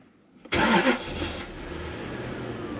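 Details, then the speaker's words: Lexus LS400 UCF20, non-VVT-i 1UZ-FE V8, test car for rebuilt ECUs: brief crank, instant catch with a short flare, then a smooth, steady low idle; clean, healthy start, car runs as it should. "car starts and runs does what it should right"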